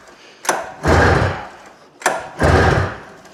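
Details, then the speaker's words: Arctic Cat Jag 340 snowmobile that sat outside almost 10 years, pull-started after starter fluid and premix squirted into cylinders: two dull whooshing turnover bursts with no firing at all; cranks but won't start. "She's not even offering."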